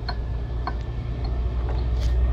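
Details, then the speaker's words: 1989 Chrysler Shadow engine idling: sharp ticks about twice a second from the front drive over a low rumble. The water pump pulley is loose, and no noise is heard from the head. "Quería mostrarles más o menos cómo funcionaba el motor, pero con el ruido que tiene, que de hecho ya vi que es la polea de la bomba de agua que está suelta, como pueden ver en ese video."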